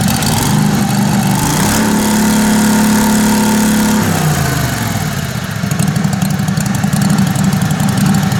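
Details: Kohler Command Pro 27hp lawn mower V-twin after blown head gasket repair, muffler baffle drilled out: loud raw straight-through burble that dips then settles to a steady even idle; loud open-exhaust idle, running clean.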